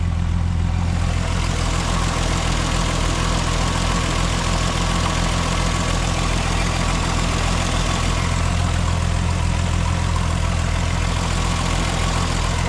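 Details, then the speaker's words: MK4 12v VR6 idling after a water pump replacement: the earlier marble-like rattle is gone, leaving an even, smooth low drone with no rattles. Normal idle, and no leaks so far. "Yeah, absolutely smooth as butter. No more marbles, no more rattling."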